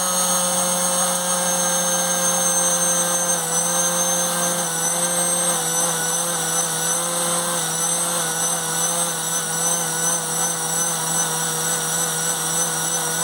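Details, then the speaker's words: Dumas Hurricane RC conversion electric motor on an 18 A ESC at maximum power: a steady high whine that wavers slightly, losing and recovering power. The surge is much less than before, and the owner believes the improved connections helped. "I don't know if you could hear it but it was kind of surging slightly like losing a bit of power recovering losing power"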